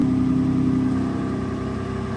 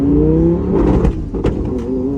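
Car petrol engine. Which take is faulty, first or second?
second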